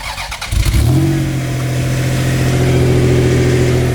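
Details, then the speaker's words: Freshly reinstalled low-kilometre 1JZ engine (about 150,000 km or less) first start after 2.5 months sitting: catches quickly, strong even rev, clean steady tone, no knock, misfire or blue smoke; running healthy. "No blue smoke. Yep. It's running healthy now. No blue smoke, guys."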